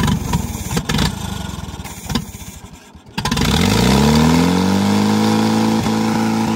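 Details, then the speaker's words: 1945 Allis-Chalmers WD 4-cylinder gas tractor, sat for years, fuel line just cleared of rust: after a faltering start it climbs to a high, steady screaming speed and holds flat out, shooting flames from the top; badly over-revving. "why is it shooting flames out where the top well it's definitely screaming pretty hard"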